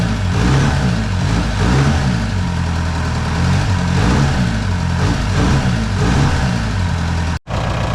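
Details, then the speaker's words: VW MK4 Golf TDI, ALH diesel with factory turbo, freshly swapped replacement engine, injection quantity around 5.25: steady diesel clatter with gentle rises and falls in revs, no knocks or rattles; healthy engine and turbo. "This is a factory turbo on this, and it sounds so cool."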